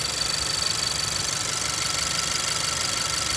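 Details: 2018 Honda Civic Si at warm idle: thin, steady high whistle/squeak over normal quick injector and high-pressure fuel pump ticking; squeak source unknown, not found by listening around the engine.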